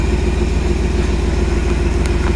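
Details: 1979 Jeep Cherokee AMC 360 V8, idling just after first start in over 3 years; carburetor choke stuck, worked manually. Deep, steady burble with even firing, no misses or knocks, faint click near the end; normal idle.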